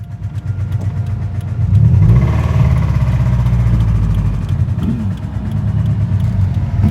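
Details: 2013 Scion FR-S whose engine blew before a full rebuild; heavy, uneven low rumble with a loose, lumpy pulse about four times a second, badly unwell, cause unclear. Rough running engine.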